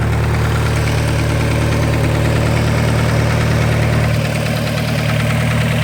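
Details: Over a steady, deep idle there is a light repeating tick about three times a second; the owner says it is not lifter tick, and the source is not pinned down.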